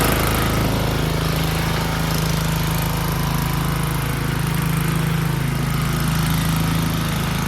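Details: Snowblower single-cylinder engine stored 4 years in a shed with the fuel shut off and stabilized gas, fired on the first pull; it runs off choke at full throttle with an even, steady drone and no surging or misses, smooth and healthy.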